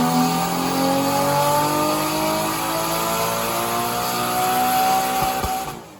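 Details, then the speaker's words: Nissan RB25DET Neo drift car (R32) on the dyno after an engine rebuild, running 10 psi, rev limiter changed from soft cut to hard cut: engine held on the limiter with a harsh buzzing note pinned at the top, then drops away; hard-cut limiter working. "It was originally on soft cut, but he's changed it to hard cut, so yeah, we'll see what it sounds like."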